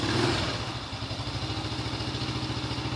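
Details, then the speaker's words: Old motorcycle with electric starter and kickstart, just thumb-started: even quick putter of about three or four beats a second, no rattle; idle still good, smooth, very healthy. "Stasionernya masih bagus. Dia oke mati. Tapi motor ini sehat, sangat sehat. Masih halus."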